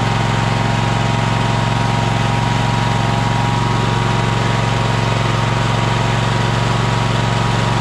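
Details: Troy-Bilt Horse running after a new fuel pump was fitted and primed; steady, even low thrum at constant idle with no misses or knocks. Brief smoke came from it having been turned on its side, then cleared.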